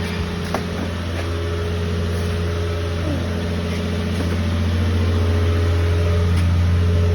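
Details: 1979 Toyota Cressida, carbureted, just started: low idle with slightly uneven beat and occasional stumble, a miss at idle; owner notes a leak causing a noise and vacuum hoses needing replacement; cause suspected, not confirmed.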